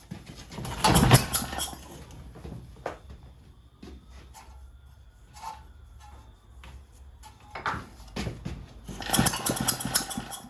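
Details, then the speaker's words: Vintage Lauson engine on a jump starter, long left outside; pull-start cranking bursts after carburetor adjustment (1¾ turns, choke partly open) never catch; spark later restored but still won't start. Cranks but won't start. "Okay guys, so I got spark again, but it still won't go."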